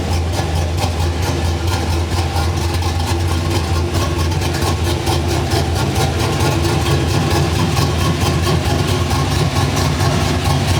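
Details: Cammed engine with a mild cam (216/220, .550 lift, 114 LSA), base idle timing about 18° and idle timing corrections ±12°: a steady, consistent loping idle chop with a deep rumble. A normal, well-tuned cammed idle.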